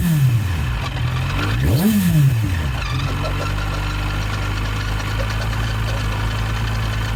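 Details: Yamaha FZ1 Fazer idling with a quick, fairly even tick about four a second over the engine note. It appeared suddenly weeks after the cam chain tensioner was replaced and set to the T mark. Clutch basket noise was heard earlier; source unclear.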